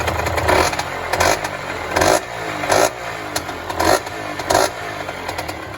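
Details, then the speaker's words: Yamaha DT50 two-stroke, stock apart from an aftermarket air filter, on a worn throttle cable: crisp blips about once a second, rising cleanly and dropping back to a steady idle, no knocks or rattles; healthy running. "but yeah it sounds sounds really really good so yeah happy just for the wiring to tidy up new throttle cable throw the fairings on an mot and then she's ready to rise"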